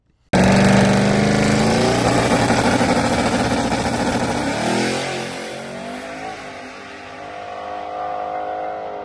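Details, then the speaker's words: Boosted LS-engine Chevrolet Corvette Z06 pass: loud rising engine roar, then after shifting into high gear the RPM stops climbing and holds flat as a Holley boost safety reverts to wastegate pressure; tune to be revised. "so we'll play it again just listen to it clearly you can hear on once it clicks high gear it just keeps just holding one RPM"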